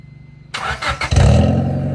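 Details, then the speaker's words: 1996 Honda Civic CX with D-series engine, before replacing its worn eBay exhaust. It catches and settles into a loud, deep, booming drone, described as one of the worst-sounding Civics heard. "let me give you a quick before and show you how horrible this sounds. It probably won't come through on camera as bad as it really is, but hopefully you get what I'm getting at and how this this honestly is like the worst sounding one of the worst sounding Civics I've ever heard."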